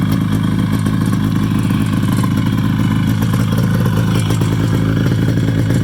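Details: 1973 Polaris Colt vintage snowmobile, 250 twin two-stroke: steady even burble, no misses, surges or knocks, "just purrs"; normal idle.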